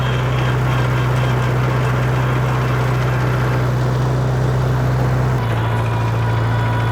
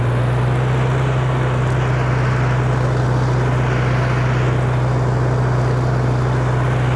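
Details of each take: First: 1948 Farmall Cub tractor under way in second gear; low steady drone with a faint regular ticka-ticka tick keeping pace with road speed, other gears and reverse smooth; gearbox ticking in second, cause unknown. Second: 1948 Farmall Cub tractor in reverse: steady, even low drone with a constant pitch and no whine, clunks or grinding; reverse gear runs smoothly, unlike second gear, which ticks.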